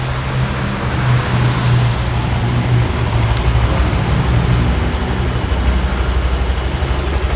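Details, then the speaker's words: Used scooter (Vario, per showroom tags) at idle, CVT listened to: steady low even putter, no belt-drive rattle or scraping; CVT still sounds calm, idle rpm slightly low but smooth. Normal idle, slightly low idle speed. "Adem ya, masih adem ya. Cuman emang RPM-nya agak rendah."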